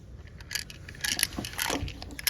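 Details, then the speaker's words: Driver seatbelt retractor from a salvage 2009 Toyota 4Runner, going into a 2006 4th-gen 4Runner: shaken loose, it gives quick light metallic rattles in bursts from inside. Owner suspects it was broken or unlocked so it would work. "so you can hear something rattling in there they might have broke it or unlocked it in order for it to to work"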